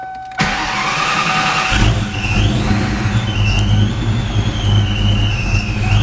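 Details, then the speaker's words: 4.6 2V Mustang, idle air control deleted, A/C deleted with bypass pulley on 8-rib swap: cranks and catches on a super cold start, then lumpy wavering cold idle with wandering whine; rough cold-start idle without idle air control. "but the whole idle air control delete on a super cold start kind of sucks is a cold start with a no idle air control"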